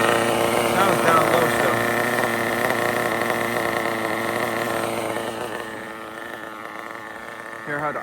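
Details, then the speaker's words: RB CE nitro engine with sealed back plate in a drag car, idling high and buzzy; the pitch creeps upward, then levels off as it runs still slightly lean down low after retuning the fuel mixture. "listen to it running guys look at her RB powered drag car oh it's still lean somewhere"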